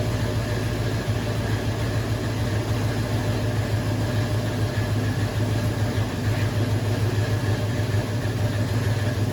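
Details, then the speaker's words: Cadillac previously straight-piped, now with two Dynomax valved chambered mufflers, first start after install: steady low idle rumble with rapid metallic "ting ting" as muffler valves bounce open and closed at idle; install angle or worn mufflers suspected; some exhaust leaks. "I don't know if you could hear the ting ting ting ting ting ting ting ting ting. Those are the valves. Open, close, open, close."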